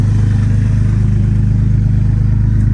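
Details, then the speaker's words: Jeep Grand Cherokee WJ, over 200,000 miles, started on jumper cables and a charger after feared engine failure: a steady deep engine beat with busy mechanical clatter on top. Owner says the noises are not new; cause unknown. "I am shocked that it turned on and it's definitely making some sounds, but none of these sounds are actually new."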